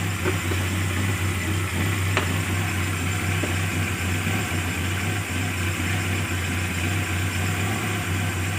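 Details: Carburetted engine after fixing hard starting, misfire and power loss by opening the solenoid valve and removing its needle, with the carburetor then adjusted; starts immediately, steady even low idle, no misses or stumbles; normal idle.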